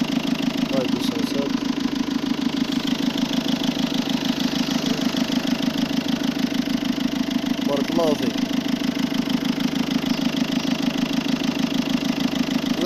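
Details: Peugeot 207 1.6 HDi diesel at idle; steady clatter with a fast even noise of about two beats per second over it, abnormal engine noise, cause unclear.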